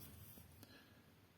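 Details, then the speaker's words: Grand piano action removed from the piano, after repair: soft taps and light rubbing as the lever is worked with no squeak. The squeak came from the top of the repetition spring rubbing the lever and was cured with a drop or two of lubricant. "посмотрим всё скрипа нет скрип устранили"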